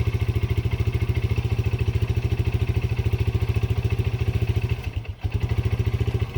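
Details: Yamaha Breeze 125 (Grizzly 125) single, first start after two years in storage: fast, slightly uneven thumping with a brief stumble midway; rough running with hiccups expected from sitting, cause not confirmed.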